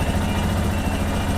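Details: Lander 250 single-cylinder motorcycle engine running on 10W40 oil with no smoke, where the owner hears an intermittent strange noise that comes and goes: even steady burble with no knocks or rattles; idling normally.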